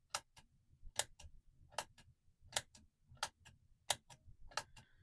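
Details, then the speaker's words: Joyo JF-01 Vintage Overdrive latching toggle footswitch after a Deoxit D5 cleaning (it had been cutting in and out); sharp, paired clicks, each press catching cleanly and consistently. Footswitch latching normally after the repair. "So I'm pressing it. It's not coming off and on like it was doing before or acting weird. It's working every time. It's solid."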